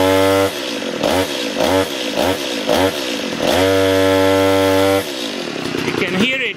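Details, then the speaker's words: Stihl chainsaw with poor acceleration and erratic idle, dying under throttle: revs surge in short bursts that sag and fall back, choking as if starving and unable to reach high speed; fixed by simple adjustment. "so cannot accelerate at all also doesn't hold a good idle but you can hear it can accelerate it's choking it's like starving"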